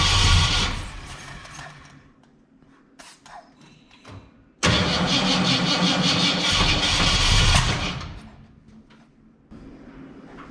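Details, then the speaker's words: 1967 Ford Fairlane, first start attempt after sitting 7 years: sharp pops break into the cranking as the engine catches briefly and fades, a backfire through the carb; timing possibly far off, batteries weak, cause unconfirmed. "and that would be the definition of a backfiring why is it off so far"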